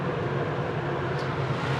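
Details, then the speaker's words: Turbro Greenland 13.5K inverter A/C with heat pump in an Escape 24 travel trailer on a warm day: steady, even air whoosh with low hum, no rattles or surging; not super quiet, about 55 dB underneath, 48 dB away; normal running. "So I'll go ahead and, I gotta say, it's definitely, it's not a super quiet unit, but it's not all that bad."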